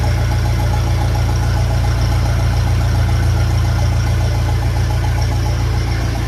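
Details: 1957 Ferguson FE35 TVO tractor after setting valve clearances and fixing rocker cover leak: even steady low idle, soft regular tappet tick, no misses or spitting; normal idle.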